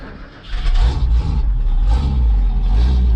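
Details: 1956 Chevrolet four-door sedan barn find, off the road since 1970, replacement carburetor with electric choke, first start: catches after a short crank and settles into a steady, even low rumble; healthy cold start.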